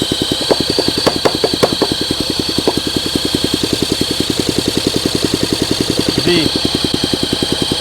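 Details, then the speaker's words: 1971 Honda SL125, long-stored and previously seized engine freed, carburetor cleaned: single cylinder popping at a quick uneven beat with hollow weak tone, smoke from the case; owner suspects low compression with blow-by. "The combustion right here is smoking out the case. I got a lot of blow-by going on. Come on. I think we got a compression issue."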